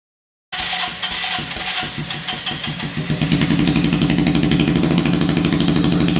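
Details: Hammerhead 250 SS go-kart single after fitting homemade custom exhaust pipe: catches right away, fast crisp exhaust beat rising slightly, steady with no popping or missing; runs normally.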